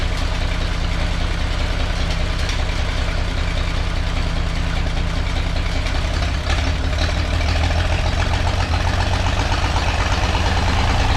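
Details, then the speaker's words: Old engine idling after an exhaust leak repair, with a low, lumpy idle and dropped pulses. One cylinder misfires because two spark plug wires were touching each other. "still missing todd don't usually miss i just had add one wire up against the other one"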